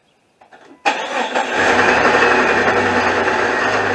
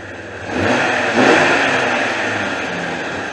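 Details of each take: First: 2001 Jeep Cherokee Sport 4.0 six-cylinder: starts and settles into fast steady idle with rough knocking underneath, plus belt chirp at idle; knock traced to a worn, loose power steering pump bearing about to fall apart. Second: 2001 Jeep Cherokee Sport 4.0 six-cylinder running with the accessory belt removed: blips then settles into a smooth, even hum with no knock, so the knock is not internal; power steering pump found failing. Normal engine running.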